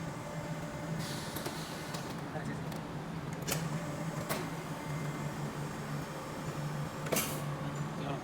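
Steady low pump hum with a few sharp clicks and hiss bursts, even and untroubled throughout; the press is running normally.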